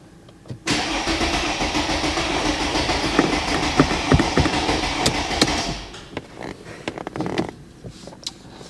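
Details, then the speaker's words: Mercedes ML350 with a rebuilt replacement engine, start attempt, battery at 10.5 volts: starter turns the engine evenly and slowly for about five seconds without firing. No engine or transmission faults; fuel system bone dry, fuel not yet delivered. "We're not going to get this running with this, I don't think. So, you know, no faults on the engine, transmission. I think it's just fuel, basically. We need to get some fuel around it."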